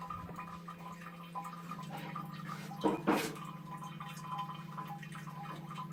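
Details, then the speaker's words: Toilet cistern leaking constantly into the bowl, heard in the bowl after refill shuts off: faint steady trickle and drip under a low hum; cistern still leaking into the bowl. "Ah, ça fait moins rire. On entend couler. Ça n'a pas l'air d'être étanche encore."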